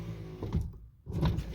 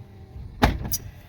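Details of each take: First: Lincoln Continental driver front window after a motor torque bushing repair: a smooth, steady motor whine through full glass travel with no groaning or stalling; the window works properly, though some scraping is noted. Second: Lincoln Continental front vent window without the fix: a quiet motor hum broken by one sharp, loud clunk as the glass starts moving, then a lighter knock, from the regulator binding.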